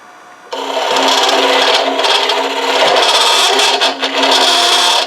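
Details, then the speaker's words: Hollow-form vessel turning on the lathe: harsh rasping scrape with a fluttering buzz while cutting deep inside with an overhung hollowing tool, which is chattering; when in doubt, go to a bigger tool. "When in doubt, go to a bigger tool."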